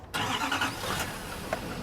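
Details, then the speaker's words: Chevy Duramax diesel truck at a dealer auction, cold start: short crank, then fires up cleanly and settles into a steady clatter without stumbling and no smoke; healthy. "no smoke. For all you Chevy fans, this Duramax seems good."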